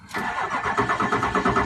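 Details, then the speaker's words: 2004 Ford F350 Power Stroke diesel just after high-pressure oil pump replacement: even cranking pulses about eight per second with no firing; owner suspects air purging from the system, though a bad pump was also questioned. Crank, no start. "No, it's just the air purging back out of it. Give it a minute. That's the sound of a Ford. Oh, it just needs a minute."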